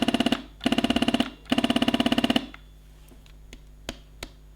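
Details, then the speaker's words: Beautural handheld garment steamer, heated up, trigger pulled: three bursts of loud rapid machine-gun rattle from the pump while no steam comes out; pump not pushing water. "But this one, although it's heated up, it makes a weird noise."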